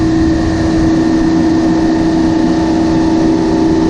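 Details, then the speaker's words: Tyler commercial refrigeration condenser after replacing fan motors and changing capacitors, power restored: steady even motor drone with constant hum, no knocking or scraping; condenser fans running normally. "Okay, guess we're going to turn it on and see if we get fans running."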